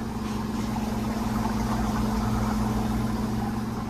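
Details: Newly installed Hoshizaki 48-inch ice head on a 1,000-pound bin, in its first freeze cycle before harvest. An even low hum with a steady mains buzz and a smooth, unbroken run means it is freezing normally.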